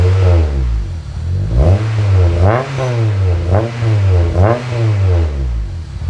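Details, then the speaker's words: K-swapped RD1 JDM Honda CR-V, first start on a new mild-steel custom exhaust (3" downpipe, 2.5" back, resonator, twin-loop muffler), against a concrete wall: a deep booming exhaust swelling with each rev, far too loud. Owner suspects an exhaust leak. "holy that's loud i mean i am against a brick wall here a concrete wall so wow"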